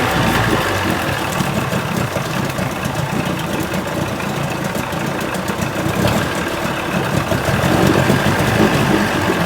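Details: 1980 Chrysler 45 hp two-stroke outboard at a brisk fast idle after the crank-no-start complaint: a busy, crackly exhaust note, running steadily; responsive, nothing found wrong.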